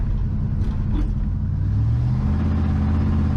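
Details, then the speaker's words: 1980 Ford F-350 service truck with 460 big-block V8 and Gear Vendors overdrive, fresh rebuild with about 20 miles on piston rings, driving: deep rumble under throttle, glass-pack mufflers popping as carburetor secondaries open; normal. "I hear that popping when the glass packs yeah that's when the second areas open up"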